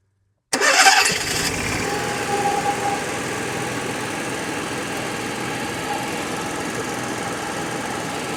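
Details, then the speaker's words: RV Onan generator after curing suspected air in the fuel line (likely from running out of fuel): catches quickly after brief cranking, fuel heard entering the carburetor, settles into a steady even run with no misses or surging; normal start and run. "Sounds better already. It's making a immediately made a picked up fuel sound. Well, I can hear fuel going in the carburetor, too."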